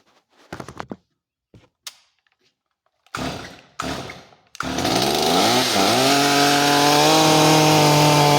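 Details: Stihl MS250 chainsaw after carburetor and fuel line replacement, high-speed screw being closed a little to lean it: clean, steady two-stroke buzz whose pitch climbs smoothly as rpm increases and holds high; runs well.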